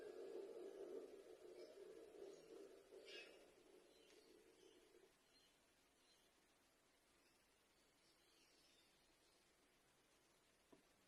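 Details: Hisense fridge: low hum fades, then one sharp random pop around the one-minute mark.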